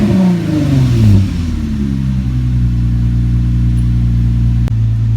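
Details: Nissan G project car (V6), restarted after correcting two suspected crossed spark plug wires that had made it run badly: a quick blip settles into a steady, even rev with a clean exhaust note and no stumble, running smoothly.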